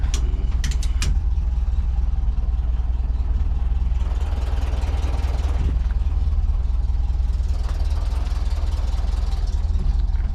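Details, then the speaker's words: 1977 VW Bus after the valve covers were resealed, warmed up for a while: deep, even chuff at a steady idle with no misses, ticks or knocks; idling cleanly with no oil leaks seen. "She's been warming up for a little bit. Yeah, sounds good. I don't see any oil leaks, which is awesome."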